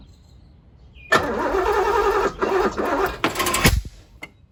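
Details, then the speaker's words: 1983 Porsche 928S with Bosch ignition, after fuel system work and a distributor timing readjustment, cranked without the vacuum hose: uneven cranking with ragged catches and a sharp pop. It backfires instead of starting because the timing is incorrect; next step is to reset to TDC. "So, we have a backfire. So, what we're going to do is put it at exactly top dead center and then try it again."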